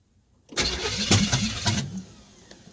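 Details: Open-header V8 in a Camaro after a new fuel system and ignition upgrades; the starter turns it over in a short burst of uneven chugs without catching; cranking without starting, cause not confirmed.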